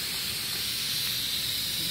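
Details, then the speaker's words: Multipro 2 HP electric air compressor not filling, motor stopped: steady high hiss as tank air leaks back past the check valve to the pressure switch. "Valve है क्योंकि check valve का कार्य हवा को रोकना है जो कि किया गया है सिलेंडर हेड या प्रेशर स्विच पर वापस आने से टैंक में पंप किया जाता है ।"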